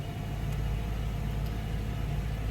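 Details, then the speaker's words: 2013 Subaru Impreza with replacement engine, on jack stands after CVT fluid added: deep even idle rumble with no knocks or misses; engine sounds great though camshaft position sensor check-engine code remains. "A little bit of a trouble starting up, but it does sound a lot smoother now. That sounds much better. We still have the check engine for the camshaft position, the camshaft position sensor, but the engine sounds great."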